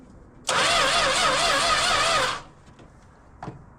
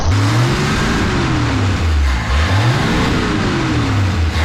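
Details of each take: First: Classic six-cylinder project car with power restored to the coil but spark very faint: starter whirs about two seconds and never fires; the distributor cap, probably original, was found burned and timing very low. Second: Barn-find 53-year-old slant six with original accelerator pump, timing being set: engine revs rise and fall in smooth, even blips with no stumble; purrs, normal running.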